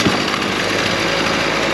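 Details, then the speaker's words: Two-stroke lawn tool after an overlong fuel line that trapped air was shortened: a high, buzzy idle holds an even, steady note without stumbling or surging and doesn't spin the attachment at idle, running clean. "idles nice. That's not spinning. We don't want that."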